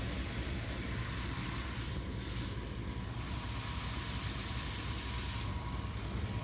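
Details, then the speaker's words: Pickup truck after overheating, water pump believed struggling to push slushy coolant, at idle after refill: steady low rumble, no knocks, ticks or squeals, no hose leaks; normal idle. "Let's start it up and see what happens. Everything's moving like it should. No leaks in any of the hoses."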